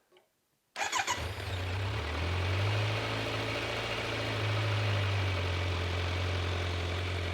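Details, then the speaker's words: 2022 Kawasaki Z900 started after an oil change at its 600-mile first service, oil at the sight-glass line: quick crank, catches at once and settles into a steady low, even idle with no knocks or ticks; oil light goes off, healthy engine. "And I'm going to go ahead and start it up, make sure I have oil pressure light, and from there we'll be good to"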